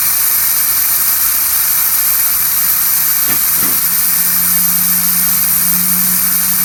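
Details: Mitsubishi Evo turbo build, dyno prep boost leak test: loud steady hiss of pressurized intake air leaking past the injector O-rings by the intake manifold; leak confirmed, as expected.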